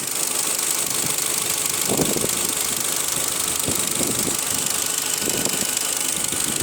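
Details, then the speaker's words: Audi Q5 engine warmed to operating temperature, where a knock appears at idle: light tapping in uneven clusters every second or two over a steady hum; it seems to come from the fuel rail or manifold area, source unconfirmed. "Вот прогрели до рабочей температуры, стук появился."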